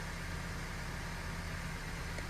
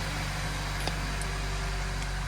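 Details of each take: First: 2017 Honda Civic 1.5 Turbo with check engine, VSA and skid lights, idling: slightly uneven stumbling beat, cylinder 2 misfire; coil suspected, burnt spark plug noted. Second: 2017 Honda Civic after misfire repair, code clearing and steering sensor calibration that cleared check engine, VSA and skid warning lights: quiet, even idle with a smooth steady hum and no skips or shakes; engine sounds healthy.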